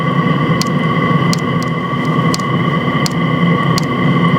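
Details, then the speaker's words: New 'ultra quiet' Chinese diesel heater fuel pump in a camper van, mic right next to it: crisp single ticks roughly every 0.7 seconds over a steady heater hum; dosing pump pulsing evenly. "this is apparently the new ultra quiet diesel Heater fuel pump to be honest I can't hear a lot of difference"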